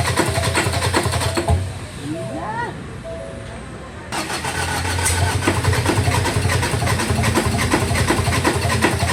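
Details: 2018 Ford Ranger 2.2 diesel: starter cranks steadily in an even rhythm, but the engine never catches and runs. Crank, no start.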